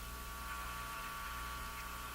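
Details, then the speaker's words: Northern Electric Midge Model 5408 tube radio: faint steady low hum with a thin constant tone. Mains hum in the audio; it seems to fade as a stronger antenna signal engages AVC. "Listen to that hum. Now, is that hum coming from this? Is it possible? It is possible."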